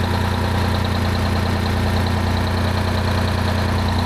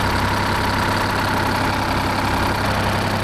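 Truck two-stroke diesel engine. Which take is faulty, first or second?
second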